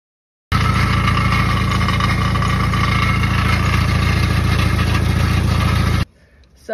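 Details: 1995 Jeep YJ 2.5L running with a fast, uneven rattle of roughly three to four a second over the idle. The owner suspects a bent rod, broken ring, holed piston or valvetrain fault, and a compression check is planned.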